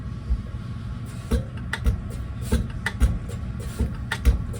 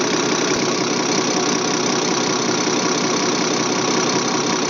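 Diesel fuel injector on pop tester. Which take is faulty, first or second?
first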